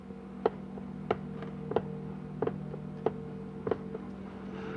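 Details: Donor 4L60e transmission teardown: sharp metallic clicks about every half second in a quiet room as the reaction shaft is rocked by hand; worn reaction shaft with excessive play.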